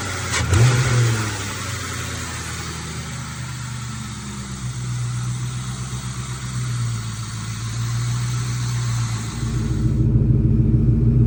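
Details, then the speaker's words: 1996–98 Ford Mustang GT V8, after fitting Dragon Fire coil packs and plug wires and clearing a cylinder 4 misfire code. A quick rev settles into a low, even, very smooth burble with no stumbles or skips. "The idle is extremely smooth, as you can hear."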